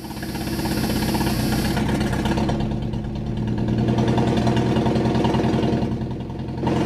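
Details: Junkyard Chevrolet S10 pickup after fitting new distributor and cap: cranks, catches and settles into a steady idle with an even beat and no misses; runs properly after repair.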